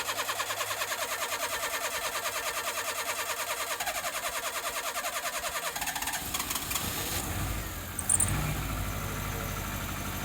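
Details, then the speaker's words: Fiat Tipo 1.6 MPI after fuel work: long starter churn at about three beats per second while fuel fills the injector rail, then it catches and runs; extended cranking, fuel return valve suspected. "bir marş basacağız ve bu marş süresi uzun olacak arabada Çünkü benzin enjektör kütüğüne benzin Dolana kadar bu süreç gerçekleşecek"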